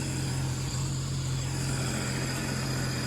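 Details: 2010 Sea-Doo RXT 260 with SBT rebuilt engine, tested after carbon seal and jet pump repairs, temperature stable: smooth, steady low hum, even tone, no knocks or misses; supercharged engine idles cleanly and is cleared to go home.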